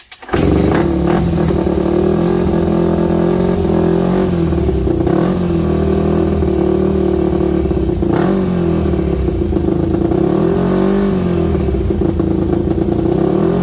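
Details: Yamaha WR250 with good compression, just revived: single-cylinder idling roughly, uneven firing with wandering beat and occasional stumbles; idle issue, carb needs rebuild, owner unsure whether idle jet is completely unblocked.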